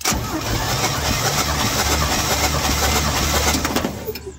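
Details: 1953 Chevy truck V8, PCV valve found unhooked, compression test on cylinder 4 (about 150). Steady starter cranking with an even low chug, about four beats a second, no firing; compressions sound fairly even.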